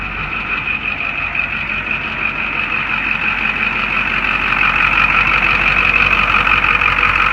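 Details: 1989 Ford F-350 7.3 IDI diesel after injector O-ring replacement for fuel leak and no start: steady even idle with fine regular clatter and constant upper tone, no misses; runs normally.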